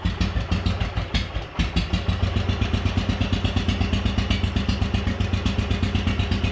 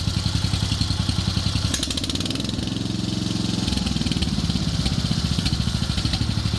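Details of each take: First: Wheel Horse 857 garden tractor single-cylinder, first start in two years on choke with new battery, cold, balance gears removed: slow, heavy thumping about four beats a second, slightly uneven; low rough idle from running rich. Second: Wheel Horse 857 "Lil Mule" garden tractor single-cylinder, warm, after leaning out the carburetor idle circuit and main jet: even thumping that picks up briefly when throttled and settles smoothly without stumbling; running cleanly.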